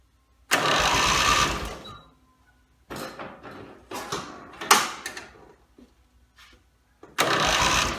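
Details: Rebuilt Briggs & Stratton mower (carb rebuilt and filling, timing dots aligned, valves seated, compression unknown) gives two pull-start cranks with fiddling noises between, spinning briefly but never firing; gas later leaked from the muffler bottom, and the owner suspects it isn't getting fuel.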